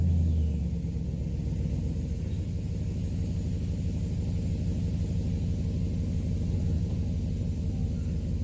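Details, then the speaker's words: 2011 Cadillac STS, Copart damaged car, first start with a unit unplugged setting a shift code: steady, even low rumble with no knocks, misses or whine; engine runs smoothly. "So we did our first start, so that's good. I just want to hear it run, and that we did."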